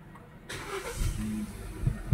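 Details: Hyundai Accent after replacing crankshaft position sensor, cause of hard starting/no start: short crank, engine catches right away and settles into even idle; clean, healthy start.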